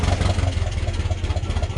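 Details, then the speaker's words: Massey tractor diesel with newly added hydraulic remotes, three-point hitch fully raised: strained, pulsing hum about four beats a second as the pump keeps pushing, idled up slightly for fear of stalling; hydraulic pump labouring at full lift. "and it's still pumping, and you can actually hear the motors working a little bit. I just idled it up a second because I was afraid it was going to die."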